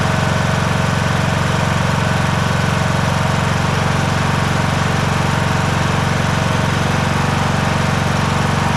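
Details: John Deere S100 mower with 17.5hp Briggs & Stratton Intek, started after annual service with new oil, air and fuel filters, spark plug and blades; steady, even drone with smooth firing beat, no knocks or misses; normal running.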